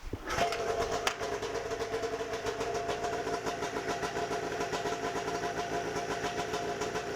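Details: Warm restart by pull cord of a 1992 Arctic Cat snowmobile two-stroke after the ignition and safety switch repair; it smokes more than the owner would like. A quick catch, then a steady buzzy run with an even hum that holds level; it starts and keeps running.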